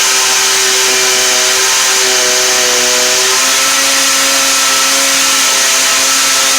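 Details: Stihl FS38 string trimmer two-stroke after a no-start fix, swapping in a HIPA aftermarket carburetor: loud high-revving whine holding steady and stepping slightly in pitch with throttle, no misses or stumbles; new carb runs properly.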